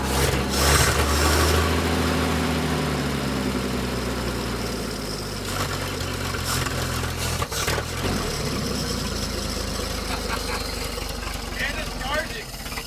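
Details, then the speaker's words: Abandoned 1947 Dodge former grain truck fires up for the first time and keeps running, but its beat stays uneven and lumpy instead of settling to a smooth idle. It runs rough, is charging, and the carburetor gasket is leaking. "Uh-oh. Uh-oh. She's not all the way happy."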